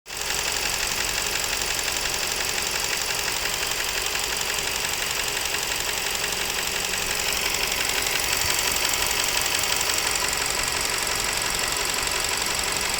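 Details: Nissan Serena C27 with MR20DD engine running: steady, fairly even knock about three per second over the engine, an unexplained internal knock.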